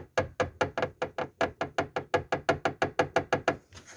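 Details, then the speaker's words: Lada Vesta passenger seatbelt pillar: hollow metallic knocks about three a second as the lower seatbelt retractor mount, bolted through very thin sheet metal, is rocked and hits the body. "есть вот он входит вот он отметал бьет то есть вот кто ищет такой стук металлический"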